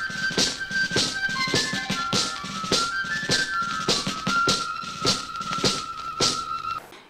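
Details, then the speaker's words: Ceramic cartridge on a BSR record changer wired straight into an amplifier line input: playback sounds very shrill and tinny with no bass, because the low input impedance loads the cartridge down so only high frequencies get through. "as you can hear, it's very shrill, it's very tinny, there's no bass, and that's simply because the amplifier's input impedance is just too low for the cartridge."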